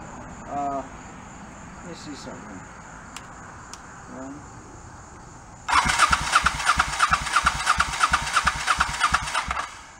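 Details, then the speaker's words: 1984 Honda Shadow VT700C not run for over 7 years, after rebuilding carbs and starter, in neutral with choke on: starter spins at a steady three beats a second for about four seconds but never fires; cranks, no start. "all right um back to the drawing board okay first attempt didn't start"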